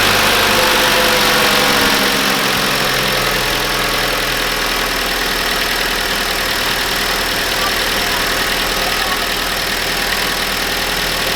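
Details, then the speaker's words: 2015 Holden Barina RS (Chevy Sonic) 1.4 turbo, first start cold just after turbo replacement for a P0229 underboost code: steady idle under a strong airy hiss, no knock or rattle; sounds fine. "it doesn't sound horrible does it so um i'll let it warm up"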